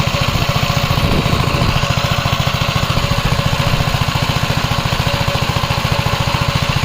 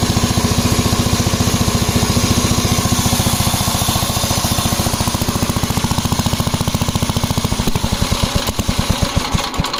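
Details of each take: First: 1961 Gravely L tractor, single-cylinder engine, after replacing a failed governor; steady thump at about 3.5 beats per second holding even speed with no hunting; new governor working properly. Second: 1961 Gravely L single-cylinder tractor at set throttle: uneven, hunting thumping about 214 a minute, slowing toward the end; failed engine governor not regulating speed, governor replaced.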